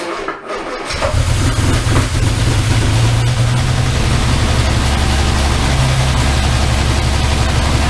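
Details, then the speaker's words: Armstrong Siddeley Star Sapphire engine in open-topped sprint special, first start in probably over 40 years: starter catch, then a smooth, even low idle with steady firing and no knocks or misses; sounds remarkably sweet. "Well, that sounds remarkably sweet. I win. >> [laughter] >> That sounds remarkably sweet."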